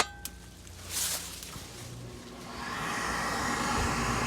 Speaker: You can hear the vent motor on. That will close the pressure switch.